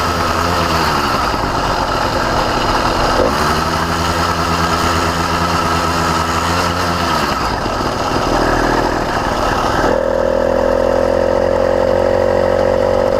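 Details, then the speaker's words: CDH110 two-stroke motorized bicycle engine (85cc, 52mm iron sleeve), new, about quarter-to-third throttle; buzzing with pitch wandering and sagging; lean surging and bogging, sounds like an air leak, but none found on this motor. "all right guys I'm just going to give you a quick what's going on here so you hear it surging it sounds like it's maybe an air leak but there is zero air leaks on this motor"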